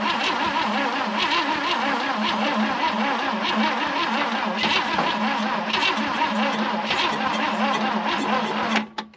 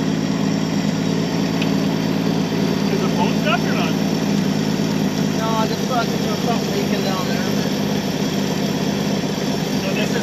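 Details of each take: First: 1966 Chevy Biscayne straight-six, Powerglide, sat about 20 years; long sluggish, labouring cranking with starting fluid sprayed, never catches, fades at the end. They think the battery is dead and have another one to grab. Slow crank from weak battery. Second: 1966 Chevy Biscayne straight six, Powerglide, after 20 years sitting and new parts, power fed to coil: steady, even low idle with smooth rhythm, no knocks or misses; runs good though a little smoky.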